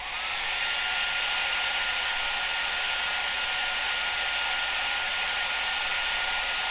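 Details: Cascade DS-925 hair dryer on high after repairing a no-heat fault with a crimp. Steady, even rushing hiss with faint constant whistle, no sputter, temperature reading rising 67–75; running normally.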